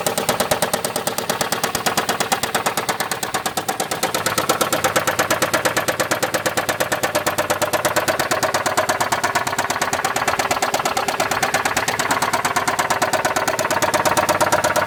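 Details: 2007 Chrysler Sebring 2.7 L V6, replacement long block about 60,000 miles old, 129,000 overall, idling then revved: loud steady knock about three raps a second, grown from a small tick; recent power loss, blue smoke at cold start; source debated, lower pan or top end.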